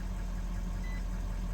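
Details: 2018 Nissan Titan XD Cummins turbodiesel after a dealer repair of a recurring click-but-no-start fault, starter now cranking strongly: steady low diesel rumble at idle with even beat, no knocks or misses; normal idle.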